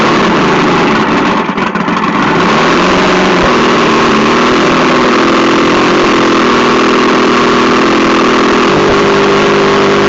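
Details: Vintage 1972 Mercury 1150 (115hp) outboard on a Slick Craft, unstarted for a week or two, quick cold start before a sale: catches quickly and settles into a steady, even buzzing idle with no stumbles or knocks; normal healthy cold start.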